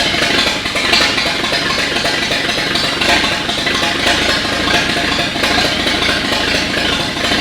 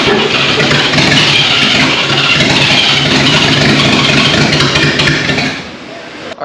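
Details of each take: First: 1939 GMC COE 4x4 six after fixing updraft-carb fuel delivery, wet spark plugs and a minor valve adjustment (timing and plug wires were fine). It runs steady and even with no misses: normal running. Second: 1939 GMC COE 4x4 started for the first time in 60 years. Ragged sputtering as the six fires on only two to four cylinders. A misfire is suspected from fuel, spark or timing; later found to be mostly updraft-carb fuel delivery and wet plugs.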